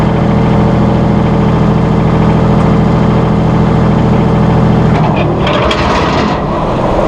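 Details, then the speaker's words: Massey Ferguson 1739E compact tractor driving a RhinoAG TW25 3-point rotary cutter via PTO after hitch setup: steady tractor drone, even cutter-drive hum, no knocks or grinding; normal running. "We're going to fire up the PTO and show you how this cutter turns."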